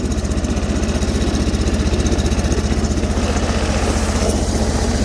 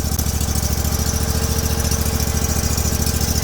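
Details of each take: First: Sears Suburban snowblower with 20HP Briggs V-twin, cold in snow, running on crankcase fuel: lumpy, jerky loping beat about four thumps a second, running on one cylinder. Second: Sears Suburban tractor-snowblower with a 20HP Briggs V-twin after new spark plugs were fitted: it starts immediately into a steady, even thumping idle with both cylinders firing; normal idle, with a fouled plug the likely cause of the earlier issues.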